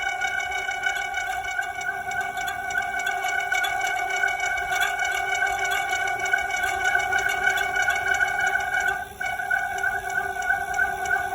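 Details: Bicycle on a slow, one-handed descent of a paved road in cool, dry weather: a steady high squeal holds near one pitch over faint rolling noise. Brake squeal, cause not evident.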